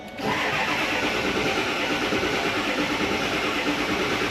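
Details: Early-2000s Ford F250 Super Duty, 7.3 Power Stroke diesel, about 400,000 miles, crank-no-start with ICP pressure below the roughly 500 psi needed: steady starter cranking for seconds without catching; turns over but won't fire.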